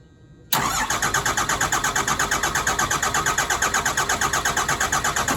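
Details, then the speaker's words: Cummins-swapped truck with a new injection pump cranking at nearly three compressions a second for five seconds without catching; three injector lines cracked and spitting fuel to bleed air from the system, then retightened. "so it's spitting fuel that is for sure um all three of them tighten them all back up and I guess try again"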